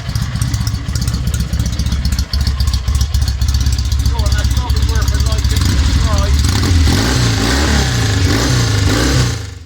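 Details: 1963 Norton SS 650 twin, first run after complete rebuild and restoration, makeshift fuel system without tank: fires crisp and even, revs climbing and falling cleanly with throttle and settling back without stumbling; healthy engine.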